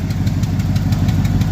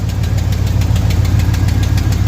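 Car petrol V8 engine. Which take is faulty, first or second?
second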